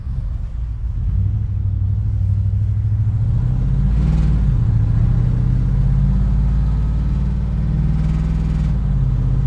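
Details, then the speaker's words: 1998 GMC Sierra, 13,341 miles, supercharged (14 psi boost at 4,000 RPM), road test: deep even rumble swelling with throttle, no blower whine; cruising healthy, though transmission tuning hunts for gears at certain RPMs under load. "But overall, like, this thing is effortlessly cruising down the road. It's not obnoxiously loud, but when you hear it, you definitely know, all right, this thing's spicy."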